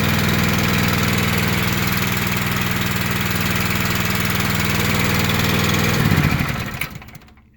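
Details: Honda GX240 single-cylinder four-stroke on an irrigator, after freeing a locked-up engine under the valve cover: runs with an even steady putter for about six seconds, then winds down and stops; sounds healthy; normal running.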